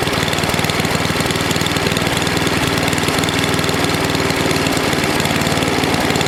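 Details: NOMA 8hp snowblower single-cylinder engine with the plugged gas line blown clear, warmed up for an oil change: a steady, quick chugging beat with no misses. It runs normally.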